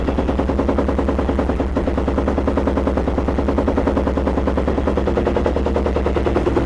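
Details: Yamaha YFZ 478 hybrid (WR450 engine) ATV, cold hard start with choke pulled, fuel and key on: choppy chugging cranking pulses about three a second for far too long before it finally fires.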